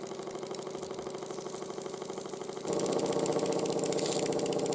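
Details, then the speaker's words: 1914 Ernst Plank 114/1 vertical steam engine after running gear overhaul and shims to reduce side play: quick even chuffing around two and a half beats a second with a light clunk each stroke, still clunking slightly when hot. "it does still clunk a little bit when it's hot but it's a lot more quiet and it runs a lot happier than it was before"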